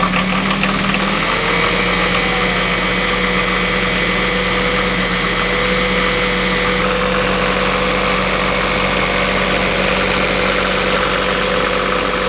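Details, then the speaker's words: Northern Lights 12kW diesel genset just after new cylinder head, valve adjustment, coolant change and minimal injector fuel bleed: starts easily, steady even idle, low hum, no knocks or misses; initially slightly rough; normal idle. "started up very nicely so doing the minimum amount on the injectors for bleeding was perfectly fine just a small amount of fuel showing was absolutely all that was needed so things are looking very good"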